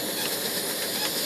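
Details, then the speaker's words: Snow Peak WG white gas stove, tank pumped about 20 more times and turned up: flame kicks up into a steady even roaring hiss with no sputtering or pulsing; burning cleanly at full output. "And you'll hear the flame as I go up, right about the 20 mark, really starts to kick up to where it's really cooking."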